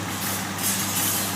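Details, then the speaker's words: Jeep engine after adding half a quart of Marvel Mystery Oil to the oil, within an hour: steady low idle hum with no valve train tapping; lifter tick gone, normal idle. "lifter tick noise has gone away it must have cleaned the varnish out of them or something to that effect"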